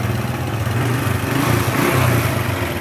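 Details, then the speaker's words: Grand motorcycle engine with a rough, complex noise; rough idle with loose clattery rattle swelling over the beat, mechanic suspects worn piston and cam chain, camshaft and tensioner to be checked; piston slap and cam chain rattle. "kalau analisa saya ini seher nya sama rantai keteng kita ganti nanti kita cek juga bagian noken as sama Templar apa saja"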